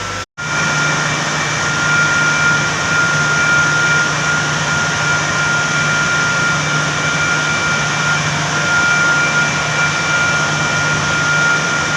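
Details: Uncoupled FCU motor at a JSW power plant running with a steady high whine and rough hiss over a low hum, from a bearing problem.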